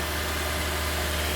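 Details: 2012 Hyundai ix35 G4KD engine, 124,000 km, after rebuild curing piston knock (0.5 oversize bore and pistons, oil jets, new exhaust cam and oil pump), held at 2000 rpm: steady, even hum, no knocking or ticking.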